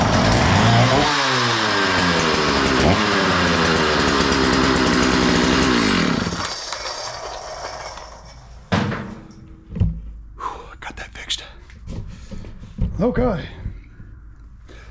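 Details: Makita DCS 6401 chainsaw unused for 10 years, with compression release: revs cleanly up and down with crisp pitch sweeps, then cuts out promptly when switched off, confirming the kill switch works; runs normally.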